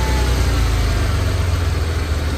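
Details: 1991 Ford Bronco after distributor replacement, timing not set and distributor loose: low uneven idle with pulses and a stumble sagging toward stalling; owner suspects the timing.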